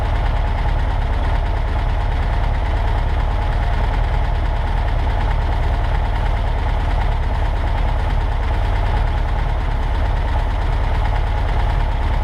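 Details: 1963 VW Karmann Ghia air-cooled engine on its first run in over 10 years, after a varnished fuel line was dealt with: loud, steady, even low chugging with no misfire or rattle; normal running.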